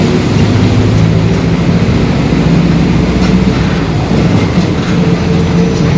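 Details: 2021 Marcopolo Torino S on Mercedes-Benz OF-1721 BlueTec 5 chassis, long city bus, under way: a deep droning growl under engine and road rumble, rising and falling with road speed, the differential growling.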